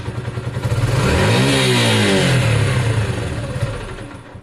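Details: Sinnis SC125 single with the old carb (owner thinks he cleaned it): revs climb and sag unevenly on blips, stumbling before picking up. Throttle hesitation, cause unconfirmed.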